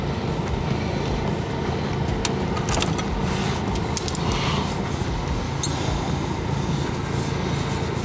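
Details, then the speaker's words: 1985 Honda Goldwing GL1200 Aspencade, rejetted for ethanol fuel, at operating temperature with the radiator fan running, before an oil change: steady, even low idle rumble with soft fan whir and light clicks. Runs smoothly. "The radiator fan is on. So that engine is definitely up to temperature now."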